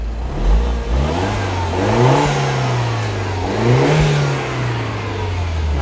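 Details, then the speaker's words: Auction car with smoke reported at the rear, revved twice: light ticking that quickens as revs climb, a rotational tick higher in the rev range, slightly chugging; cause unknown. "there is definitely a rotational tick to that engine as you get higher in the rev range"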